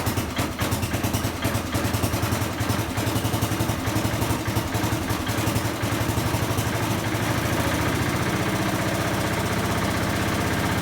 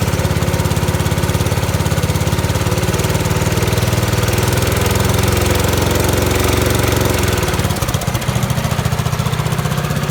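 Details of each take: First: 1970 Bolens 1253 garden tractor, warmed up a couple of minutes after its first start in years: even, steady chug with no misses or knocks, though it occasionally puffs blue smoke and may need a valve job; normal idle. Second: 1970 Bolens 1253 garden tractor, warmed up, first run in years, driven under load: low rough drone, then picks up speed as load comes off, with occasional blue smoke; governor problem suspected, valves possibly for the smoke.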